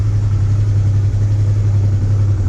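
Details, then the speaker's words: Honda Transalp 650 after replacing both air filter and spark plugs, warmed up after two minutes: low steady even twin idle with only slight ticking considered normal for this engine; healthy idle. "Спустя 2 минуты двигатель прогрелся, работает ровно, без стуков, без посторонних."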